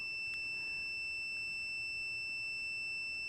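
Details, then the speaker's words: Continuity beep test on a multimeter at 20 ohms, meter reading 24 (about six ohms high): an unbroken high-pitched beep still signals continuity; this meter stops beeping at 70 ohms. "Meter sees it as 24. Still beeping."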